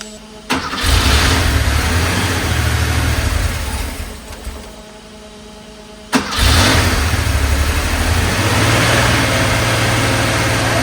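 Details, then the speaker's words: 1982 Porsche 911SC Slantnose, CIS fuel injection, after sitting 20+ years and running rough, then fuel distributor cleaned, new spark plugs and fuel filter: starts cleanly, smooth even idle with crisp throttle blips; burning some oil, heavy smoke. "Yo, this thing sounds so good. Oh my goodness. This thing sounds so good."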